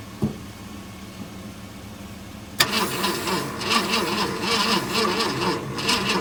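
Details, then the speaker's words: 1966 Ford F100, first start attempt after 17 years sitting, jumped from another truck, starter fluid sprayed in; starter grinds engine over unevenly without firing; ignition points, no spark seen. "I don't even know if it's firing or not. I was hoping I'd get lucky, spray some juice down it and see what happened. Sounded like it hit a lick. That's what these points look like. Not seeing the spark."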